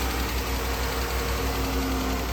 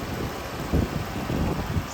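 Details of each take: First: 2014 Dodge Charger 3.6 Pentastar V6 idling: a light, quick, noticeable tapping over a low hum before shutdown, diagnosed as the common lifter or rocker problem. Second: 2014 Dodge Charger 3.6 Pentastar V6 after lifter/rocker repair for ticking: low, even idle rumble with no top-end tapping; healthy.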